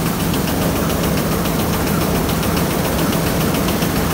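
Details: Thresher after its suction fan was repaired, now screening better than before: dense, even roar with a steady low hum and no knocks or surges. Running normally.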